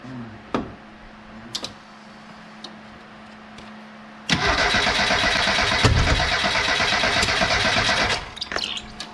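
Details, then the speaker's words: 1987 Ford Ranger cranked after fitting a salvage-yard keyway: slow cranking clicks, then a loud, ragged, uneven run with popping. Timing is way off because the spark plug wires were connected in the wrong spots, giving a wrong firing order. "all right let's crank it see what happens [Applause] all right she's firing but man that time is way off"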